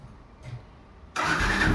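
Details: Yamaha FZ-S Version 3 BS6 motorcycle self-starting after entering the kill-switch password sequence: quiet click and brief whir, then the engine catches sharply and settles into a steady running note; clean normal start.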